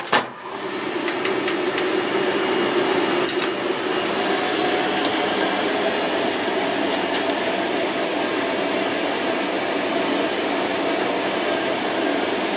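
A steady, even fan rush with a smooth hum and no knocks or scraping; the heater and fan are running normally.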